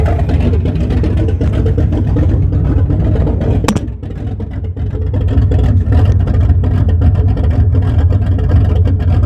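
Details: 1974 Chrysler Newport with a slightly tuned 440 V8, first start after a rebuild with new bearings, open headers, phone-recorded: a loud deep steady rumble with a brief dip and pickup, no knocking or ticking; running clean.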